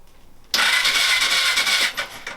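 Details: Suzuki GS500, first turnover in five years, spark plugs out, clutch pulled in, ignition on: a bit over a second of fast, smooth, hissy whirring with no binding or clunks; the engine turns over freely.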